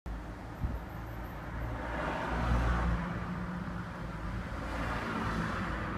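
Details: Range Rover P38 4.6-litre V8 petrol engine with Bosch management running with a deep, uneven, stumbling beat before diagnosis. An engine misfire.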